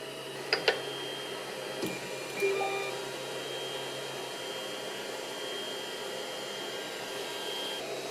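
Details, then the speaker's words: Creality CR-10 3D printer running with motors moving: steady airy fan hiss dominates with faint stepper whine and light clicks from X/Y axes; power supply fan not yet on; normal running. "it doesn't add too much noise seems like most of the noise is coming from here"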